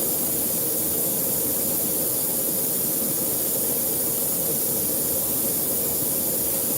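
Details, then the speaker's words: Broken tire valve core leaking: a continuous steady high hiss with no rhythm; a new core was then pushed and locked in with a long core tool to stop it. "Yeah, it's actually broken. Hold on one second. Y'all hear that hissing sound? You gotta fix that."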